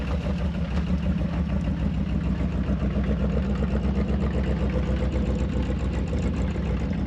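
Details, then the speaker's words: Early-1960s Ford F100 unibody abandoned 25+ years, just revived: deep, even V8 idle with no knocks or misses, lifters a little noisy, oil pressure over 60 psi. Normal idle. "I think it'll clean up sound all right motor sounds good lifters are a little on the noisy side great oil pressure though over 60 PSI"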